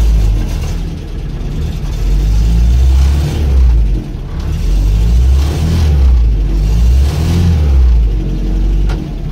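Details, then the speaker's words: Land Rover Series IIa with a mechanical fuel pump, next day after wiring repairs: low steady rumble with a couple of gentle rev swells, then it catches and holds idle without faltering. A definite improvement. "That's definite improvement, isn't it?"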